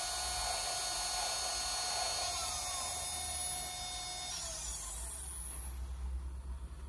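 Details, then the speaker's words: Sky-Watcher EQ3 mount after worm-gear tuning on right ascension and declination axes, slewing to M31: smooth, steady high whine that sweeps down as the slew ends, no grinding or skipping; normal stepper motor slew. "doesn't that sound nice so it's um really good so I just slewed to M31 the whole thing's working really well"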